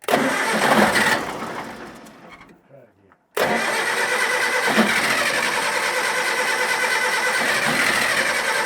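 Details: Diesel on a scrap-yard communication tower, sitting for years, cranks with a ragged, uneven churn, cuts out and cranks again without catching. Fuel is not getting through; a stuck throttle at the injector pump is suspected, unconfirmed.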